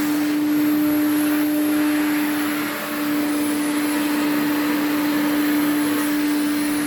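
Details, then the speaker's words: Restored 1980s Electrolux cylinder vacuum running: a steady high whistle over the even motor roar throughout, coming from two parts shown on the machine; the motor winds down nicely. "you can hear the whistling that's these two"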